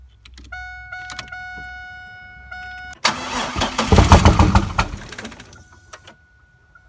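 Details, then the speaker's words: 1999 Chevrolet Camaro 3800 Series II V6, 5-speed manual, twin-turbo build, first start attempt: chime, then starter grinds about two seconds with uneven chugs, never fires; crank no start, owner doesn't know why, almost started. "it's not starting and I don't know why yeah I don't know why this thing ain't starting yeah we tried cranking like four times now it almost started"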